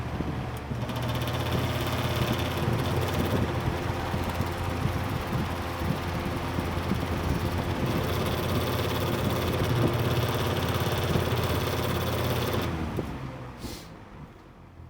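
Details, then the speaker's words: Lakewood 200i fan, previously heavily over-oiled, running at medium speed; a steady low whir with a faint rhythmic rattle over the motor hum, then it spins down. The noise is possibly from the rear guard; the source is unconfirmed. "Okay. So, that's medium. I think this is where it's going to get the noise."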